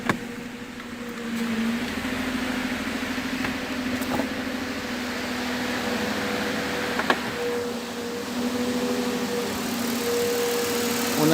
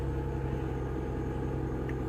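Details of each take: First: 2008 Mercedes-Benz E280 after misfire repair (previously unstable idle, misfires cylinders 1–6, live misfire counts now zero; injectors and plugs fine): petrol engine idles smoothly and evenly, steady hum, no knocks or stumbles; normal idle. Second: 2008 Mercedes-Benz E280 petrol engine just started, idling with a low, uneven thump and stumbling, stalled once; misfire counter shows cylinder 1 misfiring, worse with revs; cylinder misfire at idle.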